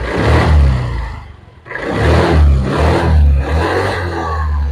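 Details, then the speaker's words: Old carbureted Honda Vario 110 scooter after replacing the CVT brass boss for a clacking complaint: revs up, drops back, revs again with smooth drivetrain hum, no clacking on pull; normal CVT operation while revving. "very smooth. so there's no clacking clack clack clack sound when you pull it, guys,"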